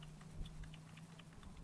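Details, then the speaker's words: RCR LRP .32 nitro RC engine with erratic idle: irregular light clicks, about six in two seconds, as the clutch bell is rocked by hand, showing too much end play. The owner suspects too much shim on the clutch, or maybe a bearing. "i noticed it was idling kind of erratic and it's because my clutch bell is is maybe could be a bearing i don't know it look it feels like there's too much shim in it"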